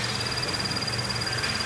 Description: Some Scion FRS vehicles may exhibit a high pitch chirp or squeak noise from the High Pressure Fuel Pump Assembly when the engine is fully warmed up and idling.